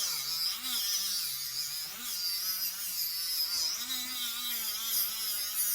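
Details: Small Dremel-type rotary tool polishing a silverware fork: small high-pitched motor whir with faint wavering tone, holding speed steadily under load with no bogging down, unlike the larger Dremel. Normal running under load.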